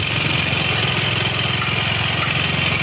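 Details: Xeon automatic scooter idling with a harsh, fast clattery "kemlitik/kemlotok" tick over a thin rattly exhaust beat, still noisy with the CVT parts removed; piston slap from worn cylinder and scored piston.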